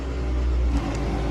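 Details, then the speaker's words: Infiniti M35 that broke down, on ramp with jump starter: at start-up a heavy low rumble with an odd whirring from the front accessories, clearly not power steering; failing alternator suspected. "Yeah, that sounds bad. That doesn't sound good, Nick. Power steering. That's not the power steering. That's something else."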